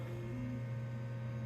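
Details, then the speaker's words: 1996 BeBox computer powered on after re-unboxing: steady low hum with even airflow hiss, no ticking or grinding as the fan comes on; normal cooling fan operation. "well plugged in let's switch it on and see if anything happens there's lights the fan came on"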